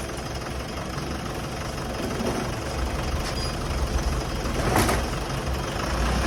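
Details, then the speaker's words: Mitsubishi Montero 4D56 diesel after flywheel repair and reassembly: even idle clatter with the earlier engine ticking gone. The faulty flywheel had caused the noise. "wala na po tayong narinig mga boss na lagitik sa kanyang makina yun lang po ang sira mga boss ang kanyang flywell"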